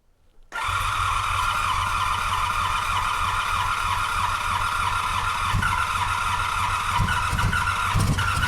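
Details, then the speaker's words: 1985 Honda VF700 Interceptor V4 hand-fed fuel from a step back: it catches and runs rough and uneven, stumbling and unable to sustain itself, though it fired on all four cylinders. "Nah. All right, that ain't gonna work for us. But definitely heard it fire on all four, so very happy with that."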